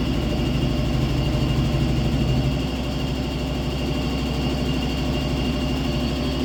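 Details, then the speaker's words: Washing machine spin cycle after replacing worn bearings, seal and mechanism: steady even low hum, no roar or rumble, the earlier airplane-like noise gone; runs quietly. "acabou aquele barulho de avião"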